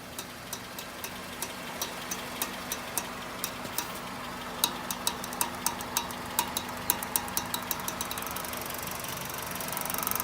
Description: Honda CRV RD 2002 - Rotational noise when steering right. CV joint noise.